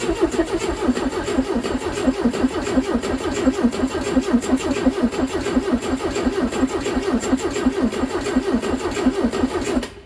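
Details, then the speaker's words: Steyr Puch Pinzgauer 710M air-cooled four-cylinder with two Zenith carbs, long parked with half a tank: ten seconds of even cranking with a banjo fitting loosened, no fuel arrives and it doesn't fire. The owner suspects the fuel pump, later rebuilt. "I suspected we're not getting any fuel out of here so either our fuel pump doesn't run or we need to Prime the fuel pump"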